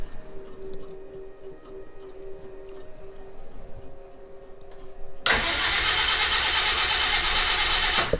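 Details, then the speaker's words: Citroen HY van, cranking with a relay rigged up and choke on: several seconds of steady, even cranking with no firing; no start, spark present, owner suspects no fuel. "well boy it doesn't sound like it even wants to start let me put a little go fast juice in there see if that's the issue"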